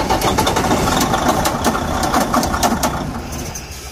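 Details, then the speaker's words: Detroit DD15 heavy diesel with a sharp regular knock three to four per second, days after crankshaft and main bearing repair for low lubrication; number two connecting rod bearing found damaged. "after it was repair we put this engine back and the truck went to work after couple days the engine start making a loud noise as you can hear it"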